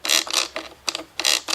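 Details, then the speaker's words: Kirby Avalir G7 vacuum drive, selected forward: sharp ratcheting clicks in quick bursts, about three per second, with no motor drone. The drive shaft is catching and not disengaging properly. "and as you notice when we turn it forward, it gets that noise. Now, what that actually is, and I'll just point this out, is it's this shaft here just catching on here. It's not disengaging properly."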